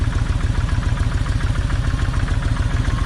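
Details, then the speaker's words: Kawasaki Vulcan 1600 V-twin, loping uneven idle about three to four beats a second, one cylinder misfiring; left plug stays wet. After swapping plug wires the misfire is unchanged, so owner suspects, not certain, that side's plug wire is bad. "even though I swapped the wires it's still doing the same thing so I got a feeling that that plug wire on that side is bad"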